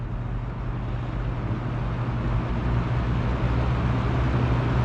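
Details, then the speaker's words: Old box fan, uncleaned, stepped from low up to medium: steady low hum swelling slightly with speed, no rattle or scrape; runs fine, grille needs fixing. "So yeah, it works pretty good. It needs the grill fix there."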